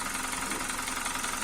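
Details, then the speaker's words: 2012 Hyundai Veloster gasoline engine at idle: steady clatter with light fast tapping underneath; strong lower-end knock in two cylinders blamed on lack of lubrication, read as worn piston pins. "E detectamos aí batida na parte de baixo em dois cilindros mais forte muito grande aí já detectamos aí problema aí falta de lubrificação né"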